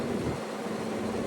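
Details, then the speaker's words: Window AC unit before cleaning: steady droning hum with a faint buzzing shake, sometimes much louder; fan blade out of balance from debris stuck on it. "Y'all hear that vibrating? The window unit sitting there doing like this, sometimes it's way louder than that."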